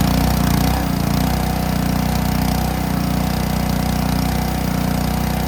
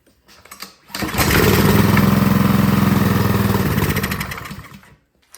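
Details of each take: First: Ryobi 3300 PSI pressure washer with Honda GCV190 engine, after old gas removed and pump pressure spring backed out: steady even beat with no surging or stalling while spraying; normal running. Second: Ryobi 3300 PSI pressure washer, Honda GCV190 engine, sat years with gas in it: with starting fluid it catches, runs rough about three seconds, then dies; stale fuel, suspected clogged carburetor.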